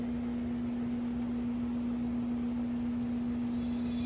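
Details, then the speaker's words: Vintage Sears box fan on low: loud steady hum over faint slow air rush, motor strained; owner suspects bad windings or a bad or broken switch, motor a little stiff. "Quite a bit of motor hum too. Wonder if the windings aren't bad in it."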